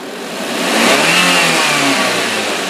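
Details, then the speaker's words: 2011 Daihatsu Gran Max 1.3 pickup, manual, engine revved: swells smoothly up and holds with a clean even tone, no knocks or rattles, no white smoke; healthy engine, only valve cover gasket needs replacing. "kalau mesin sudah kita dengerin suaranya masih langsung masih enak kita geberpun suaranya enak terus nggak ada asap putih"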